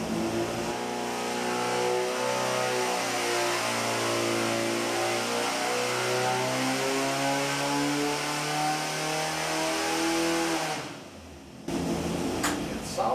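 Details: Modified Pontiac Fiero 2.5 Iron Duke, now about 3.0 L (186 ci), custom cam, 500 cfm 2-barrel, naturally aspirated; dyno pull number five, engine pulls cleanly through rising revs and drops back smoothly, no knocks or rattles; power flattens at top end.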